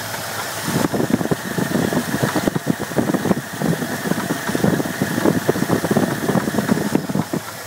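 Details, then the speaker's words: New engine idling after a fuel pump replacement: irregular sharp ticking and knocking pulses persist over a steady idle, maybe worse than before. The source is still unidentified. "the fuel pump has now been replaced. New fuel pump, and still have the sound. Maybe worse, maybe not, but here she is."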